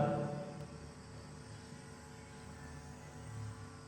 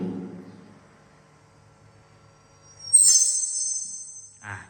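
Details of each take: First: Live PA with microphone open, signal fed through an FBX Z-Z anti-feedback unit into the mixer: only a low steady hum and no feedback howl at this distance, showing the unit suppresses feedback well. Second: Microphone plugged straight into the mixer, not through the FBX Z-Z anti-feedback unit, and held close to the speaker; a piercing high-pitched howl erupts and hangs, acoustic feedback.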